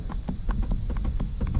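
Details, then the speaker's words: Chevy Trax / Buick Encore liftgate lock actuator: pressing the button gives rapid, even clicking about five times a second, repeating but never releasing the latch; failing actuator suspected and replaced. "hear it trying to work so since it's trying to unlock but it's not I'm thinking that's the reason why this is acting up"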